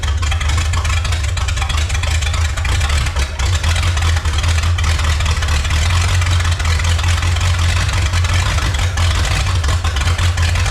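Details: 1954 Chrysler 331 Hemi V8, first run after 50+ years in a salvage yard, unregulated ~5 psi fuel pump slowed down: loud, lumpy, hunting rough idle while pouring fuel; excess fuel pressure suspected, tune-up needed.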